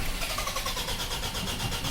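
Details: Ford Ranger that won't start after its timing chain cover was opened; camshaft position sensor fault code, rail pressure being checked while cranking: steady fast starter churn with no firing. Owner suspects timing jumped or the cam sensor; unconfirmed.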